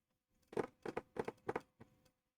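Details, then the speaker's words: PS2 SCPH-39004 that reads only DVDs, not CDs, with a PS1 game loaded. The disc drive makes strange scratchy seeking bursts but detects the game. "ah la PS2 et oui donc on att ça tourne ça fait des drôles de bruit ok visiblement le jeu est détecté ok"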